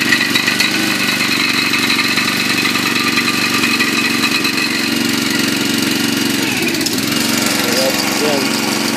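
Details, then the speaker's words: Log splitter small engine after welding repairs to its shutoff linkage: runs at a steady, even speed with a consistent buzzy exhaust and no misses or knocks; running healthy. "yeah i'll start it up so you can hear it run let's sit here and turn the switch on should start first pull i think don't move"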